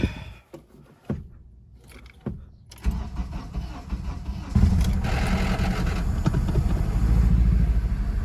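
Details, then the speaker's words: Acura RSX Type S with swapped K24 engine, first start: a few clicks, short crank, catches at once and settles into steady even idle, no smoke seen; healthy cold start. "started right up that's how we do it first time starts see if there's any smoke yeah that's what a 50 000 motor should sound like"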